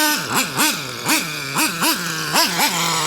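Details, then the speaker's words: Traxxas T-Maxx 3.3 nitro with OS 11 carb and aluminum flywheel and clutch; sharp revs drop back to high idle, hanging on the way down, slow return to idle, low end may need leaning; it later shut off. "You can hear it if it doesn't want to come down from idle fast enough on the OS11."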